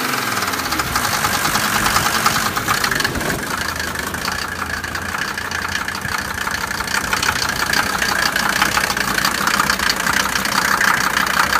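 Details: Mercedes 190D turbo diesel weeks after injector O-ring seal replacement: sharp metallic nailing about two knocks a second over uneven lumpy idle, smoke and engine shaking; injector problem suspected, not confirmed.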